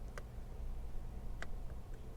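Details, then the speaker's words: 1997-01 Jeep XJ steering-wheel cruise control switch: two crisp little clicks of the internal pressure switch about a second apart in a quiet room; switch clicking properly. "You can hear the click on the on-off, but when you push the set button, no click."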